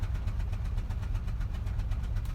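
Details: Citroën Xsara Picasso petrol (engine code NFV) with low power and engine light: sharp, quick puffing ticks repeat over an uneven idle; cylinder 4 misfire with the spark plug blowing out of stripped threads.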